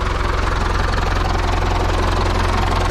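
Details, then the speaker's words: IHC 844 tractor diesel with starting problems, run on a frosty day. Steady, even clatter at about three beats a second with a smooth low rumble and no misses or knocks: a normal, quiet idle. "aber läuft schon ruhig ne"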